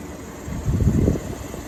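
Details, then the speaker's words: 1953 Fedders Weather Bureau window air conditioner, Tecumseh compressor, believed about 4,000–5,000 BTU, drawing about 475 watts, blowing about 40 degrees: soft low even hum with a brief swell, no rattle, knock or squeal; normal running. "So that thing just sounds amazing. Who the hell would throw something like this away?"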